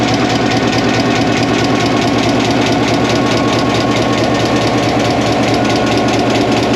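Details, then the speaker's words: 1949 EMD F7A diesel locomotive started after 3 years out of service with a bad main generator bearing, now repaired, valve cover open: deep even chug at about two beats a second, no misses or knocks; normal healthy idle. "oh she's running really well started right up everything seems to test out now"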